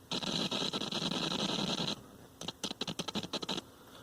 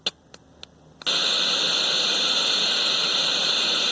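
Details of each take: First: Speaker crackle on a 1970s General Electric color TV, model CYA7342, during an ohmmeter test between chassis ground and heatsink: irregular scratchy bursts show the output transformer primary and transistor are alive. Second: 1970s General Electric color TV model CYA7342, volume turned up while touching the test point before the IF stage near the suspected detector IC: a few sharp clicks, then loud steady hiss about three seconds; sound IF transformer faulty.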